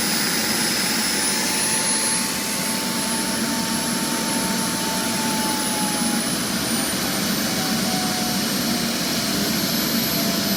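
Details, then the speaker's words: JetCat RC jet turbine before repair, forced started by air assist after auto-start failure: steady high roar with thin wavering whistles, high idle exhaust temperature; turbine blade rub from deformed, cracked NGV, worn bearings, failed starter clutch. "High idling exhaust temperature Turbine contact mark Worn starter rubber"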